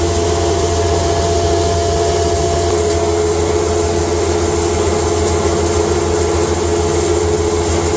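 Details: Cattle-feed grinder, first time grinding hay fed slowly through the hay slide into a bag: constant motor hum and steady whirring rush of material through the rotor, no knocks or rubbing. Normal operation.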